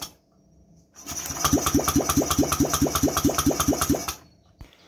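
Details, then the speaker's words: Honda Vario 125 fuel-injected scooter, after fixing blown fuse and cleaning, fuel pump primes: starter cranks steadily at about two compression pulses a second for three seconds, engine never fires; crank, no start. "Tapi masalah berikutnya adalah ini tidak mau hidup mesinnya."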